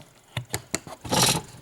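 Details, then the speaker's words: 1914 Victor Victrola VV-VI (oak), motor runs but dry, uncleaned springs before disassembly: a few sharp knocks, then one loud harsh rushing burst as the dry mainspring coils slip at once instead of unwinding smoothly; mainspring slip. "you hear that that's a spring slip here we go"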